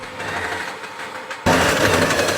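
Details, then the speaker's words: Flood-damaged electric tricycle with water above the wheels: rear wheel spinning free gives loud rough rattle and uneven knocking; motor normal unloaded, rusty bearing found, differential or internal gear noise suspected. "现在这个轮子空转呢，很明显这个噪音和异响都很大。"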